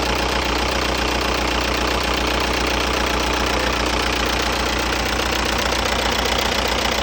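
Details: 2002 VW Jetta ALH TDI diesel, first start after replacing the injection pump upper and lower body gaskets (fuel leak). It catches and settles into an even, rapid clatter with a steady rhythm and no stumbling or misfire, idling evenly.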